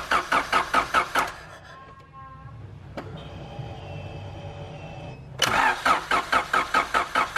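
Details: 1991 Honda CRX Si with a JDM B16A swap, no-start fixed once proper fuel pressure and fuel were present: rhythmic cranking at about two pulses a second, a pause, then it cranks again and fires; a misfire still remains.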